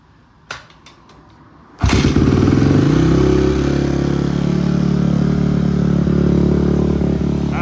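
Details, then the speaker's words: Barn-find Honda CRF single, not run for years, after cam chain work, cold with choke on: kick-starts first kick, settles into a steady, even thumping idle with no misses, knocks or smoke. "No smoke. First kick. First kick. She's not smoking. Sounds good. Pretty stoked about it. Been sad for years. Now she's purring."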